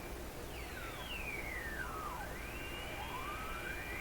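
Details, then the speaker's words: Tube AM receiver under alignment on reduced supply voltage, fed a very strong signal near 875 on the dial. Several thin whistles glide and cross over hiss; heterodynes blamed on mixing in the mixer tube, where it should be silent. "Well, you get heterodynes because of a combination of two frequencies being mixed within some kind of nonlinear device. And that's exactly what the mixer tube is."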